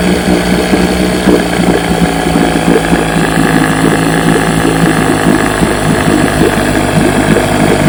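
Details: Fully restored 1958 Johnson 7.5 hp two-stroke outboard, barrel test without silencer fitted: steady even putter at constant speed, no misses, knocks or rattles; runs great, idles down with a sweet purr, normal running.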